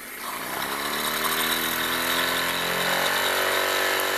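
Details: Wilesco D-18 tabletop steam engine, throttle opened once whistle signals readiness: rapid light chuffing with thin rising whirr; running, but boiler pressure still too low to light the lamp.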